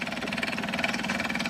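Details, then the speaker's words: Melroe Bobcat 610 skid steer re-powered with Duromax engine, just fuelled: fast, even clacking from a pump, very loud at first then quieter; cause not identified, not an engine knock. "Cocker pump's clacking it was clacking really loud not so much anymore you can hear it hear it going into here"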